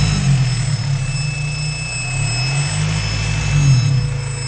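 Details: Honda B18C6 B-series petrol engine running with a steady, thin high-pitched whine over its low, even rumble.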